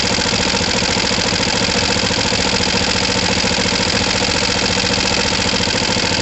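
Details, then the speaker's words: Kawasaki ER-5 motorcycle with fuel pump problems and overflowing carbs: an uneven, loping idle at about three and a half beats per second dips as if about to stall; owner suspects the left carb is not tightened enough on its new gasket. "It sounds like it's stalling. Interesting."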